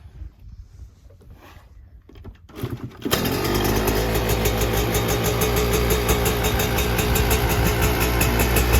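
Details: 2024 Yamaha YZ125 two-stroke, first start after fitting a new FMF short pipe and silencer, JD jetting kit, Castrol full-synthetic oil and new fuel mix to cure jetting problems and fouled plugs: catches near three seconds, settles into a crisp, even run with deeper exhaust note; healthy.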